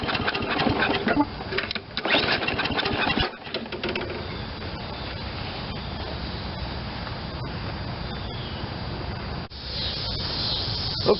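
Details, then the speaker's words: Toro 22" Recycler self-propelled mower, low hours but left sitting too long, cold start on a full tank: pull-cord cranking bursts never catch into a run. Fuel not getting through; the carburetor nozzle was clogged with water. "I just went for a start and it will not start so there's something else going on here"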